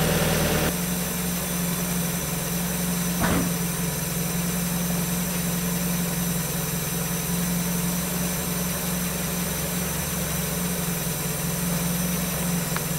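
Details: 1994 NA Miata with a 2000 NB engine, Megasquirt and EDIS-4, restarted while a coolant leak is being hunted: steady, even low idle with no hunting, misses or stumbles.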